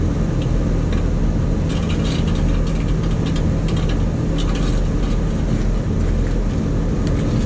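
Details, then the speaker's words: Scroll compressor number one, found with its breaker tripped and electrically grounded: deep steady drone with irregular sharp crackles and snaps from a grounded winding arcing inside the compressor; the sound stops when power is off. "but now that's the winding inside the compressor sparking it has to have it has to be somewhat grounded be"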